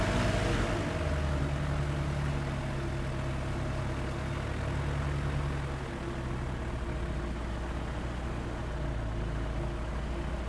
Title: Rough idle (Sky Arrow)